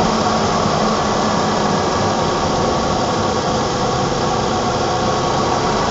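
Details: 1987 BMW E28 520i, M20 2.0-litre inline-six (129 PS), nearly 400,000 km, now running excellently; recorded on a phone with good low-frequency microphone; steady, even idle hum with no knocks, misses or ticks; normal idle.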